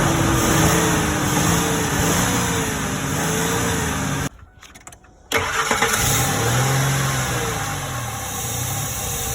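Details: 2003 Ford F150 V8 with a bad intake vacuum leak: rough, uneven idle with a steady airy hiss, misfire suspected; vacuum leak with rough idle.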